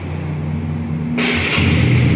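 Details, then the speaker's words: 2018 Honda CB150R 150cc single with 7,000 km, never opened for repair: it starts on the first try and settles straight into a steady, even idle with no misses or knocks; normal start. "ครับรถสตาร์ททีเดียวติดนะครับ"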